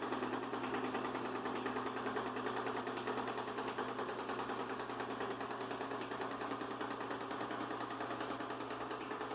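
Steady loud buzzing hum with a busy, even mid-pitched chatter throughout; the vacuum runs noticeably louder than it should, cause unclear.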